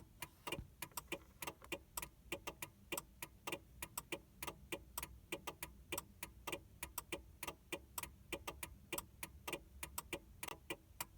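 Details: 2000 Mercury Cougar after battery replacement: rapid dry ticking, two to three clicks a second, with no crank or start, also when a door is opened; PATS immobilizer fault cycling the relay, fixed by new key fob battery and lock/unlock presses.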